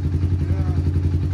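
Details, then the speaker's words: 1991 Honda TRX250X quad barn find, revived, exhaust leak mostly fixed: single-cylinder engine ticking over evenly with deep steady firing, no knock or clatter, revs up; a healthy smooth idle. "i think even idles revs up what more can you ask for it's an old honda i guess that person was expected oh my she's real smooth now"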